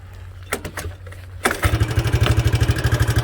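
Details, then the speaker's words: Early-1980s Suzuki LT125D Quadrunner, 124 cc pull-start single, with new carburetor, spark plug and oil. Fires up and idles with light, even clicking about three a second over the thump: intake and exhaust valves need clearance adjustment. "You can tell by the clicking that the valves, there's a pair of intake and exhaust valves underneath that need to be adjusted."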